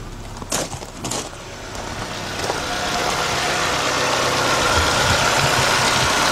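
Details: 1993 Nissan Altima GXE after fuel injector replacement for rough-running misfire: after a couple of starting bumps the engine settles into a steady, even idle with no stumble; normal healthy idle.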